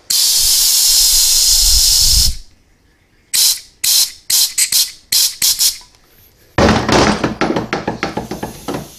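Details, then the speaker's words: 4T65-E transmission with P1811 maximum adapts and long shift code, valve body on bench: steady hiss then sharp air puffs escaping past the actuator feed limit valve, pointing to a worn valve bore leaking air. "But you can see all that air escaping through the front of the valve."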